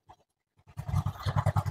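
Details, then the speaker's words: Honda Vario 110 carburetor scooter, customer complaint of unstable idle and hesitation; after carb tuning a soft, even single-cylinder putter idles stable at about 1200 RPM, staying steady when idle screw is turned lower: normal idle. "Monggo bisaengarkan untuk suara atau langsamnya ini di kurang lebih 1200 RPM nah kurang lebih seperti itu mas kemudian ketika dikecilkan untuk setelan langsamnya juga masih stabil"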